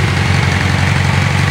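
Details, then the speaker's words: 1986 Yamaha FZX700S Fazer inline-four with stock exhaust, new plugs, adjusted float levels and correct timing, cold after about a minute of running: fast, even exhaust pulses with no skips, not lean or rich, running correctly. "this is what they're supposed to sound like when every cylinder aspiring every time it's supposed to it's not missing it's not lean it's not rich"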